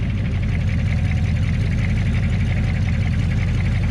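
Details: HMMWV (Humvee) after flex plate replacement, with the Y-pipe joining left and right bank exhausts removed: loud, deep, burbling idle with strong low-end thump and boat-like drone, like open headers.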